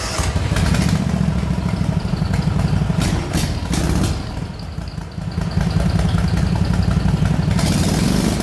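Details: Racing lawn mower single-cylinder after moving the AFR sensor from intake to exhaust, richer carburetor needles and battery at 12.8 V: loud bark revving up and settling cleanly; now starts easier, revs higher, runs smoother.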